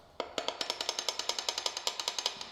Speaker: Now when you hear the term rod knock, you know exactly what that means. >> Yeah. That means this ugly sound.